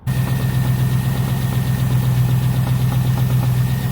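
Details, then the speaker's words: Ford Capri V8, warm after about 10 miles, oil pressure very low at idle: steady low rumble with a regular knock about four a second; owner suspects a spun rod bearing. "What I think's happening is the main bearing has been spun on one of the conrods, or the rod bearing, I'm not sure what they're really called, and it's knocking like heck."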